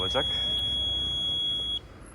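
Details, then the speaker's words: CFMoto CF 625 ATV at about 1,949 km: steady piercing high-pitched seat occupancy sensor warning buzzer sounding continuously, then cutting off; silenced by joining the sensor's two wires together. "koltuk sensörü ötüyor biliyorsunuz çok gıcık bir sesi var"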